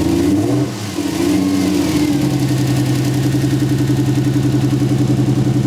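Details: 240SX with a swapped 1JZ VVTi engine, misfiring on cylinder 4. A lumpy idle with a regular stumble every few beats. Traced to an injector plug not seating properly.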